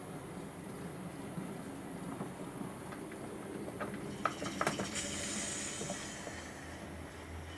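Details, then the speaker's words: Hornby TT:120 Class 08 shunter model locomotive with replacement coreless motor and DCC chip, sound turned off while running: only faint wheel clatter and soft hiss, no motor whine; quiet motor running. "We'll just turn that sound off. You can hear there's no motor noise at all."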